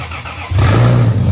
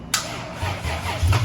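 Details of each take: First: Lexus IS300 with rebuilt turbo engine, first start after a year: cranks, catches cleanly in half a second and holds a steady, even, loud run with no knocks; oil pressure present. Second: Lexus IS300 turbo build with rebuilt engine, first start attempt after almost a year: slow, labored cranking with low uneven chugs that almost catch; battery possibly charged on wrong charger settings, too weak.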